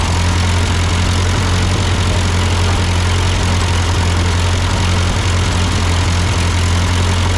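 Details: Ford 8N tractor idling after an amateur carburetor adjustment. Uphill sputtering had been traced to a cheap Chinese replacement carb; an old Marvel-Schebler ran fine. Steady, low, even putter with no misses or surging; a normal idle.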